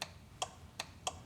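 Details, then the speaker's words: Rock buggy rear steer system armed, trigger released to check self-centering disable: sharp dry clicks every 0.3–0.4 s, rear steer control flicking when it should stay quiet; rapid clicking, owner says it doesn't sound good. "that does sound like it's flicking. So, that doesn't sound good."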